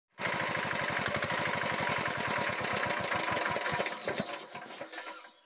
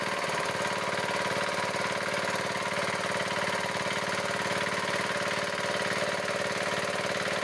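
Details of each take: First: Diesel engine running: sharp evenly spaced puffs and ticks each cycle, chuffing back through the air cleaner with white smoke; loose rocker tappet. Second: Diesel engine, idling after the loose rocker adjusting nut that caused phok-phok noise through the air cleaner and white smoke was reset. Steady, even idle at about four beats a second, with no chuffing or tapping; it runs smoothly and the repair succeeded.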